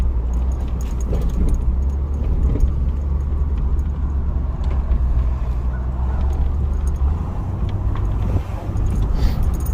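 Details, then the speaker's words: GMC Envoy inline-6 (stated 2004), 251K miles, road test after front drivetrain repair in 2WD high: steady low road rumble, no grinding or whine rising with speed; drivetrain quiet and healthy (slight grinding remains only in 4x4). "So far so good. I don't hear any noise, any grinding or anything."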